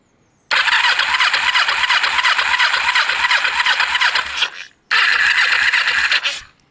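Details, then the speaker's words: Kawasaki ER-5 with a no-spark fault, wiring jumped to test the loom to the CDI. Starter whirs with even compression pulses about three per second over two long cranks, never fires: still no spark. "Nope, no spark. So let me just do these and try again."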